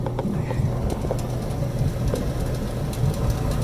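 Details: Dryer after repair with new double ball bearing pulley assembly: even low drum rumble with soft tumbling clicks, no squeal or grinding from pulley; running normally.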